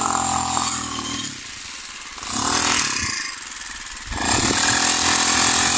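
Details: Honda GX35 grass cutter, after cleaning its dirty carburetor (stalling/no-start fault): small high-pitched engine revs up and drops to idle twice, picking up cleanly each time; now runs normally.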